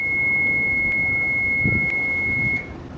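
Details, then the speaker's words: Lagoon 38 catamaran engine panel after stop is pressed: a continuous high-pitched tone held about two and a half seconds until the power button is held, then it cuts off; the normal alarm after shutdown. "to stop your engine you press stop engine stop and you press the power button and hold until the alarm goes away"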